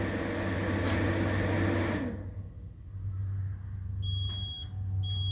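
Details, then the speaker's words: Brand-new Sungold SPH10K48SP 10 kW inverter with only a fully charged Sungold battery connected: low hum fades, then a steady high-pitched beep sounds twice as error 05 battery overcurrent appears immediately; the unit smells burnt. "There it is, failure number 5, which is a battery overcurrent."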